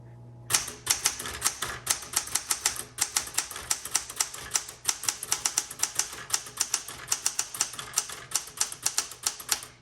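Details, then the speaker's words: 1967 Smith Corona Classic 12 typewriter: crisp, sharp keystrokes at about four or five per second, keys firm and snapping back cleanly with no drag or sluggishness; normal typing action. "um gosh great typewriter the keys are like bouncing back so nice i love that sometimes the keys are just a little bit sluggish but these man these are like nice and firm and they're bouncing"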